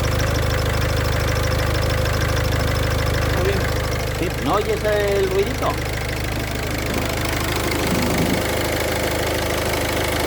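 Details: Idling engine as clutch pedal is pressed and released: faint high squeaky cricket-like chirp coming and going; suspected deteriorating clutch thrust (release) bearing balls.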